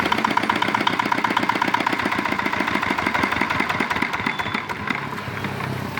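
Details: Old, modified Chinese R180 diesel used for wood splitting, after repair of a bearing knock/seizing problem (crankshaft already replaced elsewhere): regular thudding at about four beats a second easing off toward the end, no knock or rattle; sounds sound.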